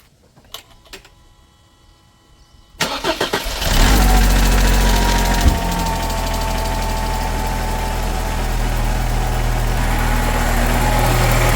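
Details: 1997 Mercedes SLK230 (R170) M111 supercharged engine, first start after weeks of no-start, following the fuel pump repair: quiet clicks, about one second of cranking, then it catches into a smooth steady idle; healthy.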